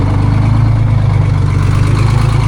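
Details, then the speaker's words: Detroit Diesel 6-71 two-stroke in a vintage cabover semi, first start after sitting, building air: deep, steady low rumble with an even beat and no knocks or misses; idles cleanly and healthily. "It's pretty freaking cool it runs. Again, I mean [snorts] I knew it ran but honestly this is one of the nicest running 671's"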